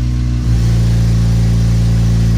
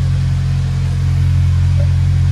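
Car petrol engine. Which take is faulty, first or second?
first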